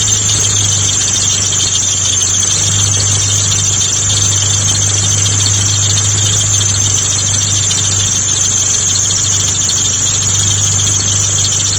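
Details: Mitsubishi GTO A/C compressor magnetic clutch fault: constant high-pitched squeal over a low, steady engine hum, unchanging throughout; suspected clutch clearance problem, unconfirmed.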